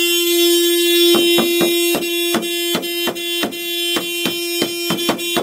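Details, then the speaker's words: Car horn stuck on with nobody pressing it and no key available to get inside: one steady blare, then rapid honking bursts about three a second; they wait for the battery to run down. "it's just the the car is just it just beeps so like someone's holding down the horn but no one's holding on the horn"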